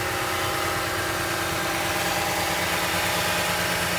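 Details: Toyota Tundra 5.7 V8 idling steadily with a faint, uneven ticking over the rumble; abnormal engine noise at idle, cause unclear.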